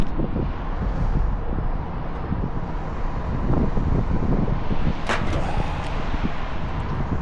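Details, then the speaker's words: AAON rooftop unit 3-phase condenser fan motor: loud irregular clattering over a steady fan roar; the brittle broken rain shield (slinger) has dropped onto the motor housing and rattles, sounding like failed bearings; fix is a new rain shield. "Okay, they got another unit that's making a loud racket. And you can see the rain shield is broken."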